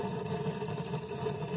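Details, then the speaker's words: Waste-oil rocket stove modified for better airflow, draft set: steady even roar with soft chugging pulse, no sputtering or gaps; drawing and burning well, normal. "can hear it and you can see the fire. And that's just waste oil going up there."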